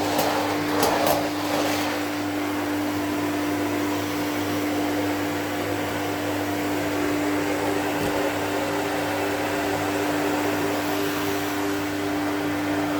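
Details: 1972 Electrolux Z310 cylinder vacuum cleaner, running after its very dirty, noisy fans were cleaned and lubricated: a smooth, even, quiet motor hum with a steady mid tone and no rattle or scraping. Healthy, normal running.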